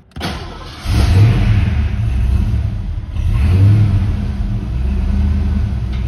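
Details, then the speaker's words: 1989 Saleen Foxbody Mustang V8 on its first start in over 11 years after a hunting-idle fix: settles into a steady, even, low rumbling idle that sits slightly high but stable, and still needs some adjustment. "Purist, as you can see, it idles like it's supposed to now. It's a little high."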